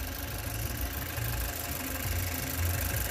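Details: 2018 Chevrolet Cruze 1.4L turbo with codes P0300 and P0201: low, lumpy idle with uneven pulse and occasional stumbles; cylinder 1 misfire, injector never firing despite voltage, found to be a bad injector.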